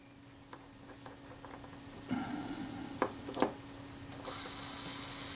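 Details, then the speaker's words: Kodak Retina IIIC shutter during servicing, cleaned and lubricated with graphite, self-timer just reinstalled. Handling clicks, then a steady high-pitched whir of about a second as the timer runs down evenly. Normal self-timer run. "pulling back this lever makes that off that speed train run down and i'll just nip that up tight"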